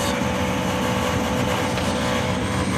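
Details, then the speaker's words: Gas furnace called in for clicking and no heat, where the pilot lit but the main valve did not. After the fix, it runs with a steady, even burner roar and low hum, no clicking, and shuts off when the thermostat is removed. "if I remove the thermostat will it shut off see it does you should get Spock for pilot you do you should get main burn we do runs like a piece of crap in a billion dollar home but it is what it is"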